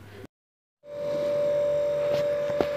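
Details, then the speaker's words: Refrigerator with a cooling problem during repair: after brief silence the compressor kicks on and settles into a steady, even hum, meaning cooling has started. Normal compressor running. "मैं अभी हम compressed कर रहे compressor की आवाज आ रही है"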